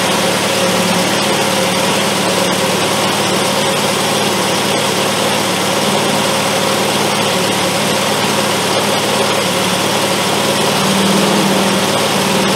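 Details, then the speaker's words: Triumph Spitfire with HS2 carbs after carb adjustment, started with starter fluid on a hot day: a steady fast idle with faint irregular stumbles. It is still idling high and a slight miss remains, though it is improved. "That's better. Still a little miss in there and stuff, but I think that's better."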